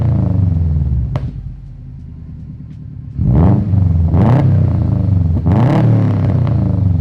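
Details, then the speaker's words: Subaru WRX STI with 150 psi compression on every cylinder and a smoking issue: once the wheel speed sensor check engine light comes on, the idle sags and stumbles and the revs cut off abruptly at a 5,000 rpm limiter; cause undetermined. "the second that the check engine light comes on for that wheel speed sensor the car hardly idols and then it does that 5,000 RPM rev limiter again"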